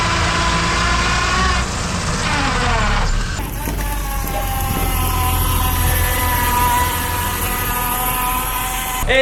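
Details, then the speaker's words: Manual transmission engaging reverse, car backing up: gear whine climbing in pitch then steady; normal noise from the straight-cut reverse gear, nothing wrong. "totalmente normal esto sucede en muchos vehículos porque el engrane de reversa es un engrane recto que característicamente es más ruidoso"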